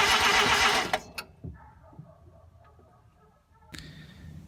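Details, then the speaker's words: RX-7 first start attempt after a rotary engine swap: a burst of cranking fading to quiet with no firing. The ignition timing was way off; the owner first suspected no spark. "last night was a little bit of a failure for starting in the car it turns out that my timing was way off and I thought that I was just getting no spark which made no sense"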